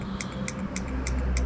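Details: Yamaha R1 not starting: quick, even starter relay clicks about three per second with no cranking from the starter.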